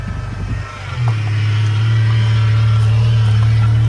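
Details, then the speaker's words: 1993 Ford Mustang 2.3L four-cylinder, distributorless, after a head gasket job and cam timing reset: it catches and runs with a deep, lumpy, uneven pulse instead of a smooth idle; misfire from spark plug wires in the wrong firing order, number 4 wire also broken. "I had the firing order wrong. I also broke number 4 spark plug wire back here, so I'll have to order some of those."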